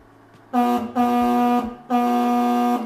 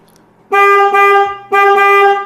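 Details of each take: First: Denali Soundbomb Mini horn on a 2023 Kawasaki KLR650 in the stock location, with all fairings installed and pushed up against it: four short blasts with a flat, choked, buzzy tone. Panel contact totally changed the horn's sound. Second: Denali Soundbomb Mini horn on a 2023 Kawasaki KLR650, relocated higher up because the stock location had no room, tested before the cover went back on: two loud, clean one-second blasts with steady pitch and no rattle. The relocation solved it.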